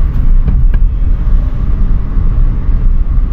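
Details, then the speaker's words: Wuling Macaron (Hongguang Mini) after repair of a nail-punctured left rear tyre that caused a once-per-revolution noise over 600+ km; driven under 30 km/h, quiet low road rumble, no tick each wheel turn; normal rolling. "好像真没有了真的没有那个异响了"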